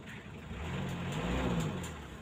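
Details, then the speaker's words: Mitsubishi L300 diesel after repairing a loose glow-plug heater wire connection, heater on about 3–5 seconds: engine catches straight away and settles into a steady, even rumble with no misfire; normal start and run. "kita onkan pemanasnya sekitar 5 detik atau 3 detik ternyata langsung bisa hidup Lur"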